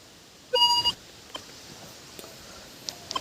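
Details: Minelab Vanquish 440 metal detector, silver ring passed over the coil: one short, clear, mid-pitched beep, then faint handling noise. Normal target response.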